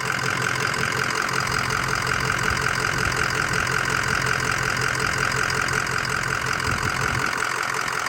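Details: 2005 Ford Excursion Limited 6.0L Powerstroke diesel 4WD, freshly rebuilt engine, 138k miles: smooth, even idle with a light steady clatter and a faint whistle, no knocks or stumbles; blow-by test shows no blow-by, normal idle.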